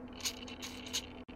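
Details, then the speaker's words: Stock Traxxas 2075 steering servo at rest, receiver untouched: faint hum with irregular clicking bursts about two a second; not ESC interference, different transmitter tried; servo suspected bad or constantly re-centering. "So that leads me to believe that I have a servo that for some reason is continually trying to center, I guess, or is bad."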